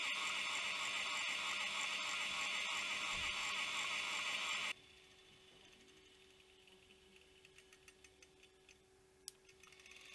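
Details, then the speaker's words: Opened vintage hard drive with a damaged platter and degraded gooey material: a loud whirr, then quick regular light ticking about three or four times a second as the head seeks and retries without reading. Owner suspects platter damage has damaged the head. "is unable to read and that's what the drive is trying to do is trying to read something he trying to get something back from the hits like the other hard drive it doesn't get anything and it keeps trying keeps trying keeps trying"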